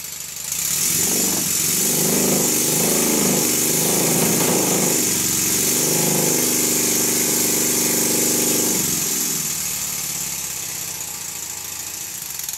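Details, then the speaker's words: First-build Stuart Models 7A vertical model steam engine with solid-machined crankshaft, loose reversing lever and drop arm: quick even chuffing about 3.5 beats a second with light metallic rattle, vibrating along the bench; runs fast and slow well. "it runs fast and it runs slow and everything is looking quite good"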